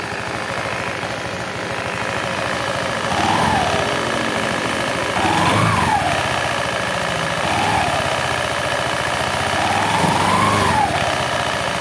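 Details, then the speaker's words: Honda Beat fuel-injected scooter blipped repeatedly, with a loose rattle from the CVT belt drive as revs fall after each blip; traced to a worn, loose pulley boss, repaired without new parts. "situ nah itu kalau habis digas suaranya ender"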